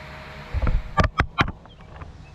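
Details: Riding mower with a paint-can lid welded over its backfire-blown muffler, started with the safety unhooked amid an unresolved grounding issue: a handful of sharp pops, then a quieter uneven run; the exhaust pops the patch, but it is much quieter than before.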